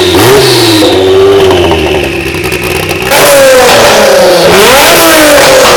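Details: Warm Kia twin-turbo V6 swapped into a DeLorean, first run on a base map carried over from a previous Kia engine, revved from idle: clean blips, pitch climbing and falling smoothly, no knocks or misses; healthy free revving.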